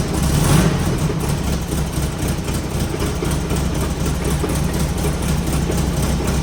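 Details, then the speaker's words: Rough low idle from an engine fitted new with low miles, with faint irregular tapping now and then as the fan bumps the aftermarket shroud; nothing major. "he that noise is just a f shroud that's an aftermarket one kind of bumps the fan every once in a while uh nothing major here we go"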